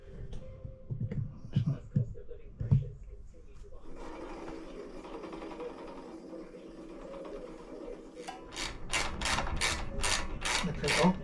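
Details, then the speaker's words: Cyrusher Ranger eBike front wheel after swapping spring forks for air shocks: light swishing scrape two or three times a second as the wheel spins. The slightly bent disc rotor catches one brake pad; fix is tweaking the rotor. "if you can hear it it's been a bit faster it's just catching on one of the brake pads really really slightly so we'll sort that out now"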